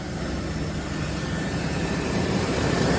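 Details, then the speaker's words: Flood-damaged S10 Blazer, running after its BCM was cleaned: smooth, steady petrol idle with an even hum, no ticks, stumbles or misfire. Small coolant leak at the thermostat housing. Normal idle. "Got a little coolant leak at the thermostat housing, but no misfire. Yeah, no, it's smooth as silk."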